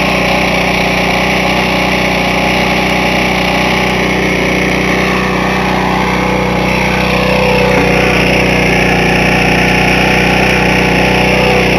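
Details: Briggs small engine previously run without oil, reassembled with fresh oil and started on priming and ether: loud, ragged, rattly uneven beat near four a second; cylinder walls deeply scored, piston with 1/4 inch side play, burnt valves, crankcase breather blow-by.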